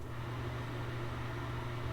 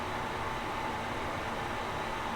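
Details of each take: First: Old builder-grade bathroom ceiling exhaust fan before replacement: steady, loud low hum and rushing drone, much noisier than it should be. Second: New 5-in-1 ceiling bathroom exhaust fan (190 CFM, humidity sensor, light, heater) just installed, replacing a noisy old one; steady airflow hiss with faint mid-pitched hum, running normally.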